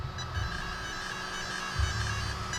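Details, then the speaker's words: Arrma TLR Typhon RC car, Castle ESC calibration: after full throttle, steady high chime tones over faint motor hum as the throttle is released toward reverse; the speed controller's calibration finished normally. "so what we're going to need to do is go full throttle there we go now it's chiming release will reverse"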